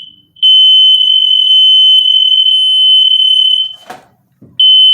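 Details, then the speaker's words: Newly installed interconnected smoke alarms, batteries not yet fitted: pressing one test button sets all alarms off with a loud steady high-pitched tone, stopping briefly then resuming; normal. "like i said anywhere i go in here if i push that button all the alarms will go off"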